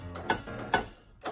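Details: Acura RSX DC5 after installing a titanium cold air intake, P2647 code disabled: sharp light ticks, roughly two a second, over a quiet idle; owner's remaining issue is this ticking from the engine, source not pinned down.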